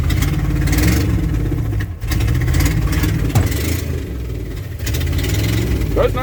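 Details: 1995 Ford F-250 4x4 plow truck, off the road since 2016, driving down the driveway: uneven, lumpy running with loud raw exhaust chuffing. Sounds like a misfire, possibly a leaking exhaust manifold; transmission also low on fluid.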